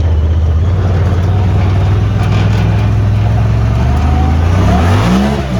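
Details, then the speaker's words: Honda Talon after a repair for rough running, ridden on a muddy dirt road in cold rain: a smooth, even pull climbing cleanly with no misfire, and the power is restored. "got a pretty good bit of power back of course the dirt road as muddy as all get [Music] out"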